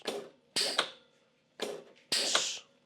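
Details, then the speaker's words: Single-acting pneumatic cylinder on a three-way valve: sharp half-second hissing bursts as air vents through the valve's number 3 exhaust port so the cylinder can retract. Plugging that port stops retraction. Normal cylinder exhaust. "it extends but we need a place for that air to go so it's going to exhaust you'll hear it exhaust through the valve"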